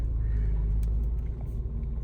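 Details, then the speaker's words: Mercedes E350 E-Class creeping forward at low speed: deep, uneven internal growl rumbling under the engine, sounds rough; mechanic suspects a front drive shaft, unsure if it is all-wheel drive; unconfirmed. "Okay, let's see about forward. It's kind of moving. You can hear it like growling internally."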